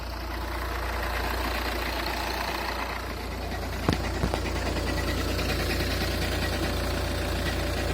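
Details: Skoda Octavia A5 2.0 TDI 125 kW diesel at cold start: a rough, loosely regular tapping or ringing about three per second over the idle clatter. Cold-start knock, cause unknown.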